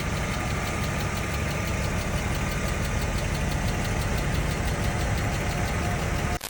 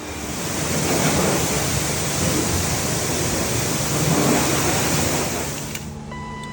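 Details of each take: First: BMW M50B25 at idle, hot: fast light tapping in time with the engine from hydraulic lifters, silent from cold start until full operating temperature; two or three lifters sat low; all 24 replaced with new Kolbenschmidt units. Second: BMW M50B25 fully warmed up, thermostat open, after all 24 hydraulic lifters were replaced. Before, the lifters ticked only when the engine was hot. Steady even idle with no lifter tick, quiet valvetrain. Normal warm idle after repair.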